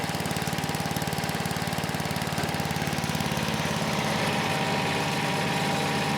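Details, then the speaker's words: Troy-Bilt 47279 chipper/vac with Tecumseh H50-65582U single-cylinder: steady thump about three beats a second, smooth and even with no misfire or rattle; engine sounds good and drive system works. "The engine still sounds good, and the drive system works as well."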